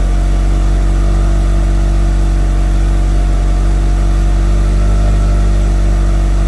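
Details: Mitsubishi Evo after FP Red turbo, MAP manifold and FP oil line install; built motor about 15,000 miles, 91,000-mile chassis: loud steady idle with deep unwavering drone; running smoothly while new heat wrap burns off.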